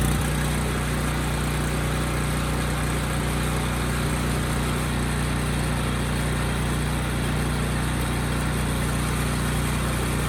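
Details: Generator after brush replacement for a no-power fault, shortly after carburetor repair; constant steady drone with no hunting or surging. The brushes were the cause. Normal running.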